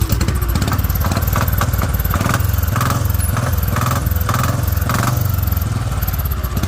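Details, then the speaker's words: Old-model motorcycle running: fast, even single-cylinder thump with a hard, regular knock on every beat; only the main crank sound is heard, no other noises, pointing to play in the crankshaft (crankshaft knock). "ਇਹ ਕ੍ਰਿੰਕ ਦੀ ਆਵਾਜ਼ ਆ motorcycle ਤੇ ਹੋਰ ਵਿੱਚ ਕੋਈ ਖਾਸ ਆਵਾਜ਼ਾਂ ਨਹੀਂ ਆ ਰਹੀਆਂ ਸਿਰਫ ਮੇਨ ਕਰੈਂਕ ਦੀ ਆਵਾਜ਼ ਆ"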